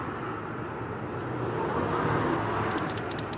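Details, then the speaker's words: 2006 Toyota Corolla with gearbox fault code P0974 (shift solenoid A control circuit): solenoids tested one by one; quick burst of sharp, light clicks over a steady hum shows this shift solenoid working normally, unlike the third one. "You hear the sound? It's clicking."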